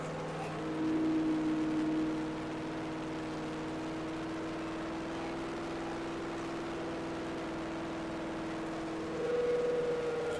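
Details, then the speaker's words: Freshly rebuilt Chevy small block 350 on an engine stand during cam break-in: steady even fast idle, constant pitch, no misses; running great despite valve cover oil leaks and heat, box fan insufficient for cooling. "so yeah, all in all, even though this is frustrating, like I said, it's it's running great."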